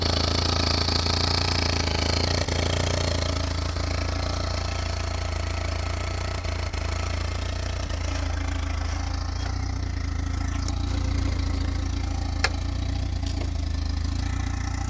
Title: mk indy , turbo making a rattle noise.